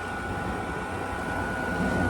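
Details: 2016 Frigidaire 5,000 BTU R410A window AC, mechanical controls, fan just switched on, coil very cold throughout (full charge, 45 degrees): steady even compressor and fan hum, constant mid-pitch tone, no rattles or cycling; running normally.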